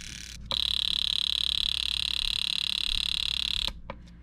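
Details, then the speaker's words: Datsun 280ZX misfire diagnosis, with an aftermarket fuel injector pulsed on the bench during cleaning: fast buzzing clicks, about 3.5 per second, with a shrill hiss. It sounds rougher than it should. "try and clean this one out because it sounds a little bit rougher now that we tried it"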